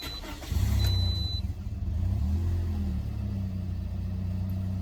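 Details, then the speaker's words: 2011 Toyota Corolla, first start after installing a new starter: a quick, fast, healthy crank, then the engine catches slightly rough and smooths into idle. Normal cranking and start, much faster than before. "Wow, that started up a little bit rough at first, but way faster than it did."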